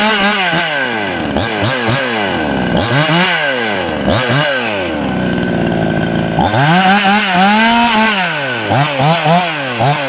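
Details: TOMITSU 5800-body chainsaw, sprocket version, no load during review: repeated sharp revs climbing high and dropping back cleanly, crisp two-stroke buzz with no stumble; normal, healthy running.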